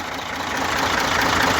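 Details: Engine with knocking and excessive blowby; the owner wonders whether a semi-overhaul is needed. Steady idle with a fast, even ticking knock over a hissy, breathy background; the cause is unclear.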